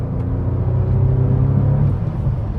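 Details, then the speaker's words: Bentley Continental Supersports (600 hp) under hard acceleration after repair with Walmart parts: deep, smooth rumble building steadily, quiet like an electric car but pulls and pulls, no misfire or knock; runs healthy. "It's just it's like an electric car because it's so quiet, but then it just pulls and pulls and pulls."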